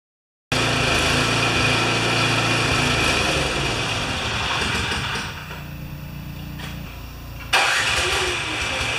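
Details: Craftsman 24-inch 9HP snowblower that came in not running, now started after repair: starts at once, settles into an even run, dips to lower speed, then picks back up smoothly; engine runs healthy.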